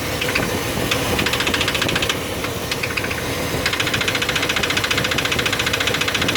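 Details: Chevy 350 5.7 L after intake manifold gasket replacement, idling: sharp, even metallic valvetrain ticking about three and a half per second; attributed to low lubrication.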